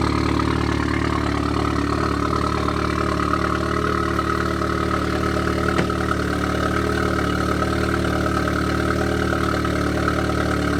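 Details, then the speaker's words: 2016 Audi S3 on a lift, just after installing a CTS 3.5-inch stainless high-flow catted downpipe with AWE switch-path exhaust: smooth idle with a faint sharp tick about four times a second and some crackles; exhaust leak. "Like you said, it's pretty distinct. It's like It's sharp. And then I heard some crackles in there."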